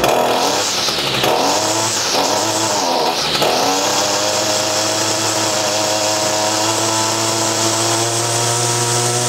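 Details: ECHO SRM-225 trimmer after hidden jet adjustment, diaphragm and air filter replacement, final test: quick throttle blips, then a steady, clean high rev at an even pitch. Normal running.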